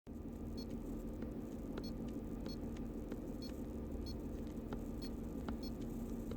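Quiet, even idle with a soft low rumble and only light regular ticking on top, no stumbles or misses.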